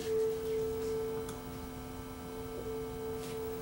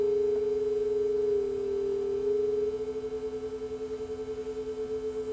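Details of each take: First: Sanyo RDS20 two-head cassette deck, speed being adjusted by ear against a 440 Hz reference tone: steady tone with only a slow faint beat remaining; tape speed now within a couple of hertz. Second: Sanyo RDS20 cassette deck playing a 440 Hz test tone against a reference; slow pulsing beat shows playback flat: tape speed running slow, before speed adjustment.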